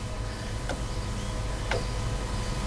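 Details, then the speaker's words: Ford Ranger/Mazda BT-50 3.2 or 2.2 diesel with P244C/P2463 exhaust temp low codes: DPF fuel dosing pump pulsed with an earth supply gives three sharp clicks a second apart, drawing 2.7 A but only dribbling fuel; low output suspected. "i'm sort of giving a pulse earth on that pump and you can hear that pump clicking"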